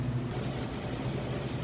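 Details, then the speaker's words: Maytag oversized-capacity top-load washer with a heavy load on the regular cycle, final spin at full speed: low smooth even rumble, no knocking or grinding; quiet, balanced, normal spin. "we're now up to full speed on that spin cycle you can see it's got nice smooth operation sounds great very quiet"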